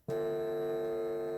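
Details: Vintage National Panasonic RX-1490 on playback after a record test, during which the hum disappeared. A steady, low, bright-edged buzz through the speaker returns on play, likely mains hum getting through dirty record/play switch contacts.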